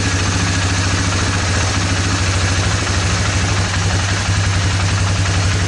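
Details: 2002 Suzuki Vinson 500 ATV single idling smooth and even with no hunting or stumbling. This is after the carburetor was cleaned and the fuel shut-off valve replaced; before, it wouldn't idle and was hard to start, with a suspected plugged idle circuit.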